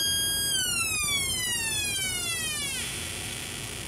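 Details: Homemade 1972 electronic police-style siren oscillator, after paralleling a second electrolytic capacitor across the suspected partially dried-up capacitor: clean high wail sweeping steadily downward over about two seconds; oscillator working properly again.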